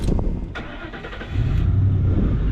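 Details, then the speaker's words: Ford Econoline 250 van, cranked-but-no-start blamed on fuel pump control module, after replacement: few seconds cranking, then catches and settles to steady even idle without misses; starts, fuel pump fine. "There you go. The car starts. That means the fuel pump is fine."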